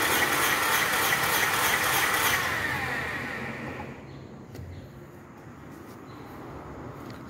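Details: 2017 Renault Logan 3-cylinder with misfire, poor power and hard starting, during a compression test: even cranking at about 200 beats a minute for two seconds with normal compression (about 150 psi); another cylinder read 30 psi from a broken head valve.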